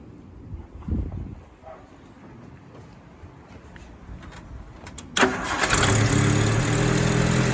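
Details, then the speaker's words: Rover P4 80 restarted after the second spark plug lead was replaced with a rubber-boot cable; the old leads gave shocks and crossfiring. It catches at once and idles smoothly with no misfire, and number 2 seems good. "number 2 seems good."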